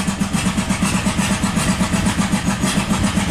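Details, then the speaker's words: 1997 Buick Century 3.1 V6 with replaced ignition parts: lumpy, lopsided chuffing at about four beats a second, running on barely a cylinder or two, oil light on and no oil pressure suspected; severe misfire from collapsed lifters. "no it's running the same this is how it's running on one cylinder"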